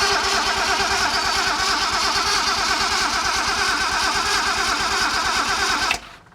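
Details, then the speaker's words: Nissan 240Z with junkyard replacement engine, first start attempt: steady starter cranking at about three beats a second for six seconds, never firing; no start, owner suspects no spark from wrongly timed ignition. "Sounds like there's no spark. Alright, so I don't think we have spark, and I'm pretty sure probably because I timed the ignition wrong, but I'm not sure the best way for me to test that."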